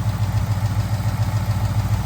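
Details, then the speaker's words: 2021 Mustang GT 5.0 Coyote V8 at cold idle, after adding Liqui Moly Ceratec and switching to 5W20: faint quick light tick, likely injector tick, fading sooner as cylinder head warms than before, not eliminated. "And that sound almost is a, you know, traditional injector tick. So it didn't stop the sound completely, but it did stop how long it goes. Still got a bit of a tick, but yeah."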